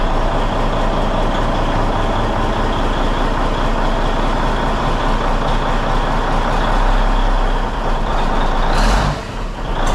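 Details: Peterbilt truck diesel, first start after cab refit with fresh fuel in the rebuilt tanks, warming up; deep, steady idle with an even low rumble and no knocking, brief air hiss near the end; running clean.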